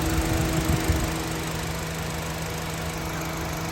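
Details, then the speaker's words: 2013 Honda City 1.5 V i-VTEC, about 10,000 km, steady even idle hum with low drone, no knocks or ticks; no smoke or vapour from engine, sounds healthy – normal idle. "ไม่มีไอนะครับเครื่องดีนะครับอ๋อประมาณนี้พี่"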